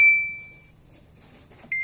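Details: Samsung 11 kg washing machine that powered on but would not start, after repairing a broken circuit wire: two short high beeps about 1.7 seconds apart in a quiet room; normal start-button acknowledgement, drum now turns both ways.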